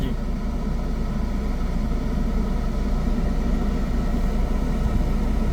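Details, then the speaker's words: Car in first gear on a hill, brake held, no accelerator, clutch slowly released to the bite point where the engine starts to vibrate: steady low engine rumble with slight heaviness as load comes on, normal engine loading at clutch bite point. "अब आपको clutch को release करना है और उतना release करना जितने में कार का इंजन वाइब ट करने लगे उससे ज्यादा ना एक पर कम ना ज्यादा"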